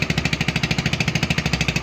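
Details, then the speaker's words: AXXO Viper 180cc scooter idling with sharp, raspy exhaust puffs about twelve times a second. The cause is a burned exhaust gasket and loose fasteners where the exhaust meets the cylinder head. "son las posibles causas de este sonido extraño raro molestos una actitud es capturar cualquier parte noté que el empaque que viene en este tipo de motonetas este quemado y las condiciones que nos permiten flojos"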